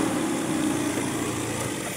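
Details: Small carbureted engine after valve tappet clearance adjustment; light throttle blip, smooth even running, previous tappet noise gone, engine healthy.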